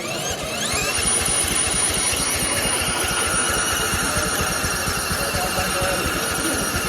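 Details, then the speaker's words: Gravely Rapid tractor, with the broken fuel shutoff valve bypassed so the line feeds the carb directly and the valves checked. Rhythmic cranking at about two beats a second with a whirring squeal never fires; bad gas with a lot of water in it. "we got bad gas so we're going to take this fuel line off and uh just squirt it in this pale here"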